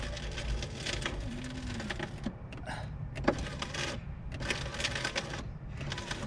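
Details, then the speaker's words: 2007 VW Beetle convertible, front passenger door: the window motor whirs in short runs each way with no glass movement or seal scrape. The motor works but the regulator is broken and the glass is detached. "yeah you can hear the regulators working but obviously the glass the glass is a isn't moving i know it's been wedged in that's to stop it falling down but clearly someone's become detached"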